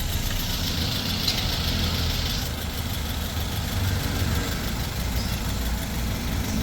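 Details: Toyota 2NZ-FE engine, previously noisy, after the oil strainer was cleaned; a steady, even idle with a constant low hum and no knocks, ticks or rattles. It sounds healthy.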